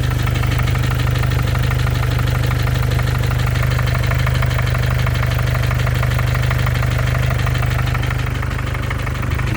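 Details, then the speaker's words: 2014 Mercedes diesel OM651 with 300 (thousand) mileage idling, hood open: sharp regular knock about three per second over the idle, same cold or hot; injectors and hydraulic lifters replaced without change; cause unclear, seemingly harmless, crankshaft doubted. "Вроде как безобидный стук, но я понимаю или не понимаю ничего."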